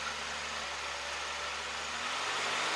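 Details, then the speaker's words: 1987 Pontiac Fiero GT, stock 2.8 V6, just under 70,000 miles, exhaust reportedly stacked: smooth even idle with steady mellow exhaust note, no knocks or misses. "the exhaust is completely stacked but for all and all I think it sounds pretty good for a 2.8 V6 all stock"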